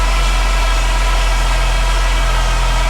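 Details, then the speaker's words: Saab 9-3 Turbo with low oil pressure and tapping, running after a Liqui Moly engine flush and oil added: steady idle with a thin constant power steering pump whine, low on fluid; CHF 11S fluid then added to the reservoir. "Aside from a little power steering whine, which I could probably fix that by I'll put some power steering fluid in there."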